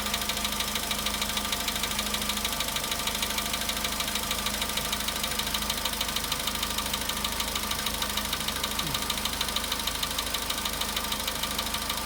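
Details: VW Polo Sedan at 93,000 km, cold-start idle: a sharp, very even light knock about three times a second from inside the engine; its source is not pinned down.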